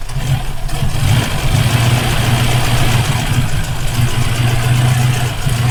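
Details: Rover P5B Coupe V8, fault occurring only when hot: idles with uneven stumbling beat as cylinders drop out; ignition misfire traced by elimination, rotor arm and condenser swapped, caused by a loose distributor points nut.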